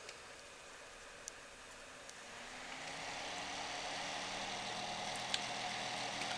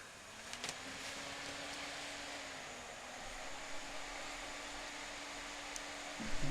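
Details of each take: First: вот начинается шум который раздражает это шумит блок питания иногда бывает что шумит не блок питания а кулер на процессоре Second: PC power supply after disassembly and a few drops of sewing machine oil on its fan: soft even airy whoosh with faint steady low tone, no more humming noise.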